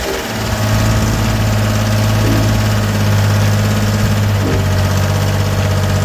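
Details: Gehl 4640 skid steer with Deutz diesel, which had quit and would not restart before a fuel solenoid/pump diagnosis, catches quickly and settles into a smooth, even low idle with steady clatter and no stumbles; running properly.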